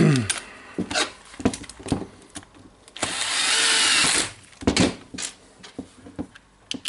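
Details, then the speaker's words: Hitachi DH22PH hammer drill after reassembly, run slowly in drilling and hammering mode: about a second of smooth, even motor whir between bench clicks; runs normally. "so I will turn it on slowly and now on the drilling and hammering"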